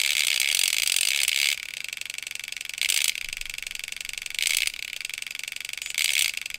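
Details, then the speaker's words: DJI Phantom 3 Professional hovering: the gimbal makes a growling, harsh ratcheting grind in bursts about every 1.5 seconds with clicking between as the camera shakes; caused by a gimbal arm loose at its set screw. "I could hear the gimbal making this kind of like growling sound and I could see that it was like going shaky"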